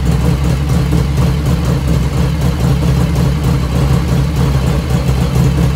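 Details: 1985 Harley FXR V-twin idling just after first start, still cold at about 49°F ambient, right after a float setting: deep, loping, even potato-potato beat with no lifter tapping from the top end, dead quiet; normal idle.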